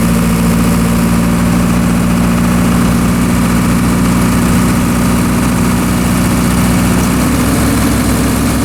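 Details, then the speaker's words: Military surplus diesel generator, restarted after years in storage, running outside under heavy overload during phase overload-trip tests: a steady low drone holding pitch with only a slight sag; little droop, no spurious trips, operating properly. "all right everything seems to be operating properly as you saw in the video the generator was able to handle a fairly significant overload without too much droop"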